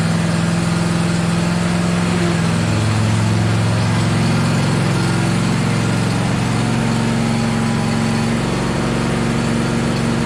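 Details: John Deere LA135 SE lawn tractor run test after summer maintenance: the small single-cylinder engine holds a steady, even low drone for ten seconds, with no misses, surging or knocking. Normal running.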